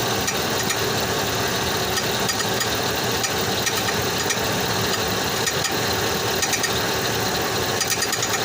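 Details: 2005 Chevrolet Tahoe at idle, recorded underneath: a fast, busy metallic ticking and rattle, steady in pace, that started suddenly one day. Cause not yet pinned down.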